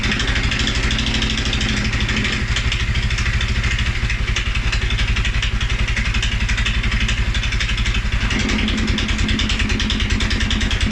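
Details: 2011 Polaris Sportsman 550 XP, EFI: single thumps about a hundred a minute, uneven and lumpy, sagging near the end: low rough idle after a rev; also stumbles cold on startup. Dealer found TPS, IAC, TMAP in spec; valves, timing, new plug, 43 psi fuel good; cause unknown.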